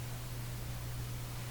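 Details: Canadian General Electric A55Z tube radio after original tubes reinstalled: steady low droning hum under faint hiss with no program audio yet; mains-frequency hum, cause not found.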